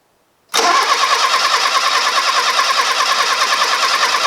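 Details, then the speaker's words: Fiat Uno Turbo stored 16 years with rodent damage, engine known to turn by hand. It cranks steadily at about three turns per second with even compression pulses but never catches or fires. "looks like compression so that's one good thing it doesn't sound like it wants to go does it"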